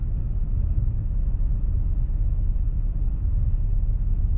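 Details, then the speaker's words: 2000 Buick Park Avenue after replacing faulty ignition control module harness; deep even rumble at idle without stumbles, ticks or knocks; normal idle. "Moment of this is running great I'm going to shut it off just to see how it restarts"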